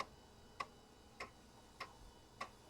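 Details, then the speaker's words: Compaq Deskpro floppy drive formatting a system disk: sharp, evenly spaced clacks about every 0.6 s as the head steps; very loud but working normally. "probably the loudest floppy Drive I own but it works that's the important thing"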